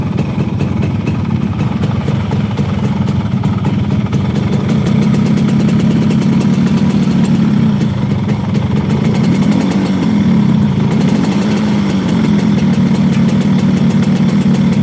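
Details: Motorcycle hard to start that stalls when revved, multiple unsuccessful workshop visits; steady, slightly uneven idle with low mechanical chatter, nothing standing out; engine noise judged within normal range.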